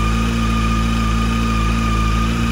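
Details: 2007 Honda CBF600 idling after a water pump leak repair and coolant refill, warming up while the system bleeds: smooth, steady low hum with no knocks, misses or rattles. Normal idle.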